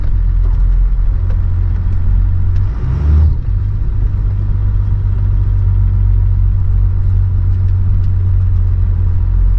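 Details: 12-valve Cummins diesel truck with compound turbos, warmed up, after boost leaks sealed: heavy even rumble steady under load, no hiss or whoosh of escaping air; pulling cleanly.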